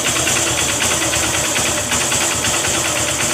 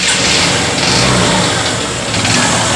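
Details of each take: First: Honda CB Shine single-cylinder engine after repair of an engine noise: even, steady idle with a light, smooth patter and no bottom-end knocking; sounds healthy. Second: Honda CB Shine motorcycle at fast idle with some revving: rough, busy mechanical clatter from the engine; abnormal engine sound, source not pinned down.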